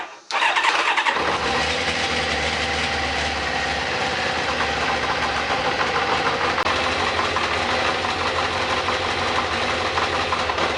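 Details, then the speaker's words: Kawasaki ZZR 600 replacement engine from a parts bike, starting: catches quickly after brief crank, then clank and rattling clatter over idle from the starter clutch, which clatters badly whenever starting struggles; needs fixing. "So, I don't know if you heard it there. That clank when it's fired up, that's the starter clutch. It actually fired up pretty quick, but if it struggled at all to start, it made all kinds of clattering and rackets."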